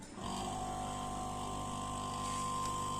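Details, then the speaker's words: Refrigerator compressor tested directly before gas charging, relay removed, leads connected by hand: steady even low hum, no knocks or rattles; compressor starts and runs normally. "आवाज आ रही है आपके पास compressor की चलने की।"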